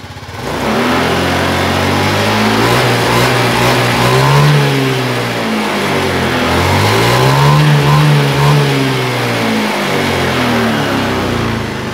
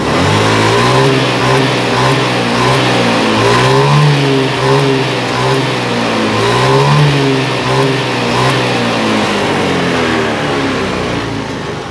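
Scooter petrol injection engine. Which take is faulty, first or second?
second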